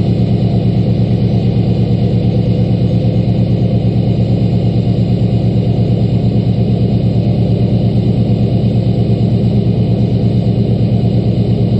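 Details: LBZ Duramax diesel pickup at 9000 ft altitude, cold start at -11°F after a -12°F night, one grid heater cycle, fired right up: steady, even diesel idle held slightly high, smooth regular firing with no knocks or misses, healthy.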